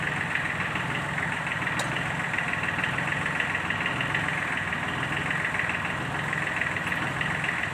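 Diesel idling steadily with a loose, roughly once-a-second knock riding over the run; an abnormal internal noise, cause unconfirmed.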